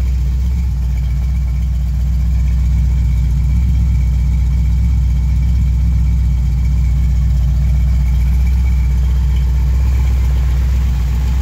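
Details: 355 small-block V8, 30 over, forged TRW pistons, 4-bolt main, forged crank, COMP 268H cam, about 350 hp, on a rattling run stand, 40 psi oil at ~1000 rpm, smokes slightly (valve guides suspected): steady rhythmic idle, no knocks or misses.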